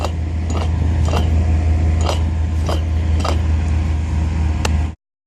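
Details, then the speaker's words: 4¾-inch downhole motor with 1.5° bend, bit box turned by hand, measuring about 26 mil: irregular dry clicks and clunks over a low shop hum; worn internal bearings. "not only does it measure 26 mil but it doesn't sound correct you can hear it you can hear the bearings inside they don't sound properly"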